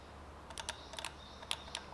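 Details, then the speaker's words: Mercedes GL X164 AIRmatic, right front shock damping solenoid valves 1 and 2 (codes 5220/5230) bench-powered directly: sharp crisp clicks, both valves working; fault was broken wiring, to be repaired. "this one is working. Let's try the other one. This one is clicking too. So nothing wrong with the two valves."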